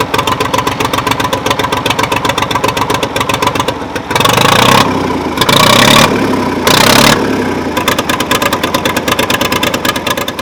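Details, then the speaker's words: Old Ford three-cylinder diesel tractor, first start after sitting about 10 years and clearing oil from the cylinders. Loud uneven bursts as it catches, then a lumpy stumbling idle; owner thinks 1 or 2 cylinders are missing. "Yeah, we might be missing on a couple a little bit. Like 1 or 2 of the cylinders ain't the greatest, but you know, 1 out of 3 isn't that bad."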